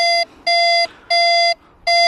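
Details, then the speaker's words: Nexus Standard MP V3 metal detector, minimal discrimination, threshold near 11, standard audio, VCO tone off: a clean tone sounds on each coil-pump upstroke because it is out of ground balance, which needs raising to around nine for this coil. "you're pumping the coil you see on the upstroke it gives a tone I already know that I need to go up around nine with this coil"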